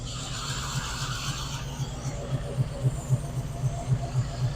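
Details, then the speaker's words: 1972 Chevy Nova restomod, cold 36°F morning, mic near engine with a little throttle: light quick ticking about four per second over low idle rumble; valve train noise, cause unclear. "give it a little gas and it sounds a lot like you can hear those VVS making noise so you know pretty cool car"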